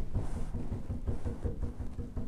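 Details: School-grade rotor brass instrument with loose keys and levers, tapped on the rotor lever after oiling the rotors: quick dull taps about five a second land cleanly, the earlier rattle is gone.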